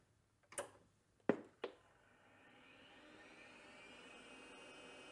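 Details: Tandy 2500 RSX retro computer with Conner hard drive, first power-up: sharp power-switch clicks then a smooth whine rising steadily as the platters spin up; healthy drive spin-up, machine described as loud.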